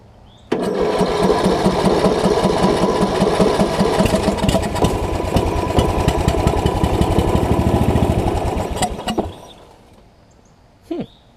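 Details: Murray riding mower on starting fluid: engine catches straight away, runs a steady even beat for about eight seconds, then dies; it turns over, cranking and spark fine, gas next.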